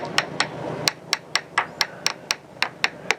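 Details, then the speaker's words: Tap test on the fiberglass hull ahead of the keel of a 2000 Catalina 380 after a hard grounding, where hairline cracks show in the bottom paint: crisp, bright ringing taps with no dull thud, so the laminate is solid with no delamination. "the tap out sounds okay."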